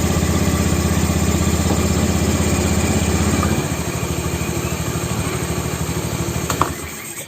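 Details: Honda Vario 110 scooter after cleaning the starter dynamo and refitting brushes and starter switch: engine starts, runs up briskly, then settles to a smooth steady idle.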